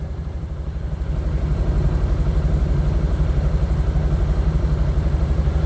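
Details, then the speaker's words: 1972 Triumph 2000 Mk2 2.0 inline-six, barn find unstarted 20 years, choke out with gentle throttle: lumpy pulsing idle about four beats a second, not firing on all cylinders; suspected fueling issue, worn vacuum pumps. "It doesn't sound like it's firing on all cylinders. That's probably the problem."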